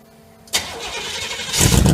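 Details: 1968 GMC truck V8 on the second start attempt after 20 years of sitting: a brief starter whir, then the engine catches and builds into a rough, rising run after extended cranking.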